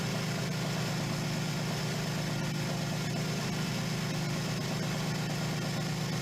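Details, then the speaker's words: 1977 Suzuki GS550 four-cylinder, first start after two years stored: low, steady burble holding an even idle with no knocks or misfires; normal cold idle during warm-up. "when you want to ride this bike the startup procedure is exactly the same it takes at least three or four minutes for it to warm up before you can really get up and go on it"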